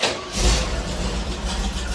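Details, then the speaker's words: 1969 Chevelle V8 idling through a cobbled-together side-exit exhaust built to pass registration inspection: deep, loud, steady burble with short blip then even lope, louder than expected but typical for a 69 Chevelle; normal idle. "will say it's a little more loud than I thought it would be, but doesn't sound more than any other 69 Chevelle."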